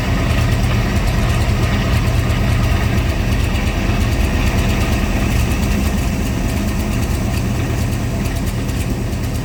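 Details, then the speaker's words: C3 Corvette V8 after a carburetor tune; it had been flooding and smelling of gas, with the float set high, and the carburetor was adjusted. Deep, steady idle with an even burble and no stumbling, sounding way smoother and running pretty good. "you know I mean right now it's sounds like it's running pretty good"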